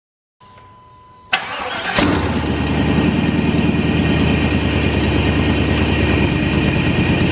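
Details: 1998 GMC K2500 V8 after exhaust repair with ball-and-socket header joints and spark plugs refitted: a short crank catches and settles into a steady, even idle with no ticking or puffing from the exhaust manifold; normal idle.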